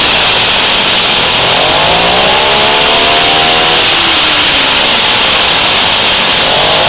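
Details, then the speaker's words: Moby two-stroke moped after variator reinstall (shims had been too thick), fresh piston/rings: raspy rattle on throttle blips before the clutch engages, gone after engagement. Owner suspects a common variator noise. "right when I hit the gas a little bit you get that you get that noise back again but it goes away after it engages"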